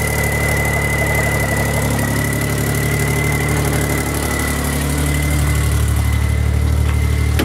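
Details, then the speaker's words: 1990 Geo Metro 1.0 three-cylinder, almost 22 years old, from Ohio, cold start: settles into a steady, even idle with a smooth low drone and no knocks or misses; engine runs perfectly. "other than that for it being almost 22 years old in Ohio whether it doesn't look that bad engine still runs perfectly"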